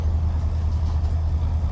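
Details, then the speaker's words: Kenny's push-button-start truck with about 44,000 miles, just serviced with new oil, oil filter and fuel filter, after oil leak and new exhaust work; steady low rumble with even, unhurried pulse, no knocks or rattles, pressure looks good. Normal idle. "Ooh, started up good. It's going good."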